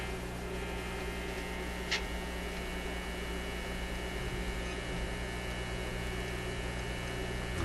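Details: Zenith Y825 vacuum tube AM/FM radio, shelved after working 6 months earlier, running at 122 volts supply. Steady low hum and buzz, no voice or music on AM or FM; cause not yet found.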